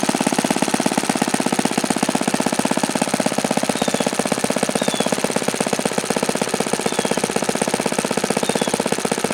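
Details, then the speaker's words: OS FS-alpha 110 model four-stroke glow engine, freshly reassembled after crankshaft bearing and connecting rod replacement, barks very fast and steady at full throttle without climbing; it falls well short of the review article's rpm figures. "this engine just absolutely positively cannot come close to the rpm figures in that review article"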